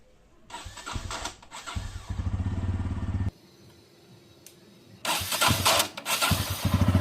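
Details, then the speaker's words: Bajaj Pulsar N160, first start of the day, cold: two starts, each a harsh rattling catch before a fast, uneven idle settles in; odd noise only on first start, origin unknown. "বন্ধুরা, আমার Pulsar N160 বাইকটি দিনের first স্টার্টে engine থেকে একটি অদ্ভুত রকম noise আসে।"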